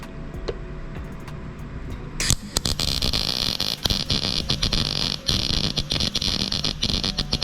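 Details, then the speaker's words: Sefaspe MIG250D welder in MIG mode with 0.030 wire and 75/25 gas at about 15.9: an uneven, sputtering arc crackle with frequent pops instead of a smooth bacon-fry sizzle. Welder suspects too much wire feed. Irregular MIG arc crackle. "That still seems like too much wire to me, but the way that it's welding."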